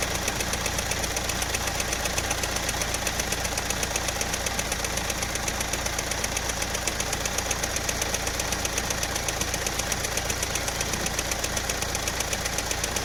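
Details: Running engine with a fast, steady "chik chik" chirp of about 2.5 per second at idle, caused by a slightly cut, damaged drive belt. Check the belt for damage and replace it to stop the noise.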